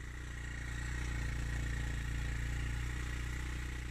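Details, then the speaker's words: Suzuki GN125 single-cylinder, non-runner stored over a year, first start on fresh fuel and new battery: uneven lumpy low thump with raspy exhaust edge at idle; rough idle, owner suspects exhaust blow. "And she's alive. Sounds awful. Sounds like a big wet fart. Certainly sounds like it's got an exhaust blow anyway."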